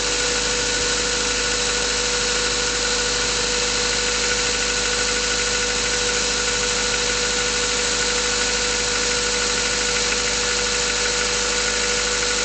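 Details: Mazda 3 cold idle: light, uneven ticking knock about every half second under a steady hum, source unconfirmed. Pistons were replaced under warranty, but the noises returned, also warm under load. Owner hopes it is bearings.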